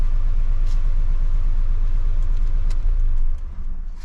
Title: Audi 1.8T DTC 17743 hard limp mode and rough idle until ignition off